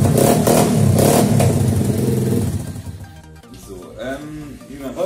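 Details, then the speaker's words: Pitbike 50cc carburetor after cleaning, idle mixture screw turned out a bit further: crisp, steady single-cylinder beat at fairly high idle settling quieter, running evenly; mixture screw set for highest idle speed at the given idle setting. Normal idle. "klingt ganz gut so. Ziel ist es bei der Einstellung der Gemischschraube, die höchste Standgasdrehzahl zu bekommen auf der jeweiligen Standgaseinstellung."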